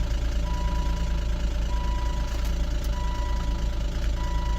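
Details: Volvo XC90 (project car, reportedly stolen) finally running: rough idle with rapid knocking patter a few times a second over engine drone, sounds like a diesel; motor deemed terrible, internal knock, cause not confirmed.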